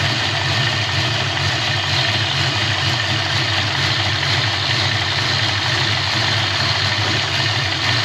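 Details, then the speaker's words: 1988 Ford Mustang LX 306 stroker with a BBK aftermarket throttle body, idling about 10 minutes, pretty warm but not fully warmed up. With the idle air control valve unplugged the idle stays steady with no drop; the owner suspects the valve is bad. "I'm going to unplug this uh out of air control valve and see if it see if it makes any difference at [Applause] all and no difference idle didn't drop down or anything plug it back"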